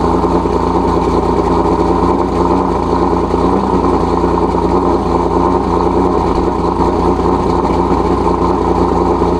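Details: Nissan 370Z Nismo with single turbo, cold start after sitting three days on a near-100°F day: smooth, even high idle with a steady deep note, no rasp or ticking. Normal, no exhaust leak.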